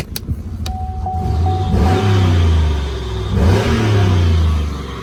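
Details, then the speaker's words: Cheap auction Chevrolet Impala SS with 213,727 miles and no engine lights, on a drive around the block: engine note climbs and flares sharply under throttle, then drops back without steady pull; transmission slipping, judged toast. "That's why it was cheap. Yeah. So the transmission is toast in the cheap Impala SS."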